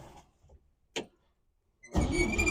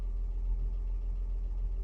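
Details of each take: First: 1957 Chevy 3100 truck, a former farm truck that sat for years as a yard ornament: the starter turns the engine over in an uneven rhythm for about nine seconds but it never fires. Crank, no start, cause not confirmed. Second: 1957 Chevy 3100 truck, a former farm truck that sat as a yard ornament for years, now revived with good oil pressure: deep, low, even idle pulse with no ticking or knocking; settled, healthy idle.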